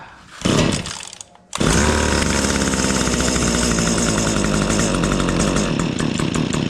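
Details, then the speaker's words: Stihl HS80 two-stroke hedge trimmer, air filter clean, started on choke: fires after a couple of pulls, runs loud and buzzy, then stumbles and flutters, bogging; suspected carb adjustment, dirt in carb or restricted exhaust screen, later found not the screen. "Y'all hear that? It's kind of bogging out. It's either a carb adjustment or that restricted exhaust screen."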